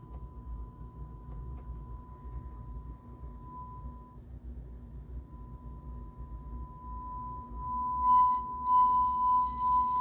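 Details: JVC A-X40 integrated amplifier, thrift-store find: steady 1 kHz test tone turns rough and crackly as the volume control is worked, raspy bursts near the end; filthy, scratchy volume pot, with some bleed on the left channel.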